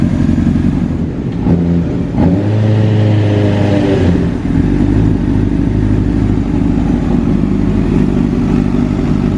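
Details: Wrecked 2005 Honda CBR600RR rebuilt to stock, testing a new tilt sensor after the fuel pump primes: engine catches and settles into a steady, even run with a brief rev, no knocks or misses. Normal running.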